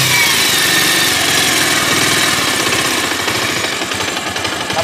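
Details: Bajaj Pulsar 150 revved after a full engine rebuild, carburettor not yet tuned: quick, even firing rises and settles with the throttle, with no knocks or rattles. Idle speed still fluctuates and rises with the clutch pulled, which is blamed on the carburettor.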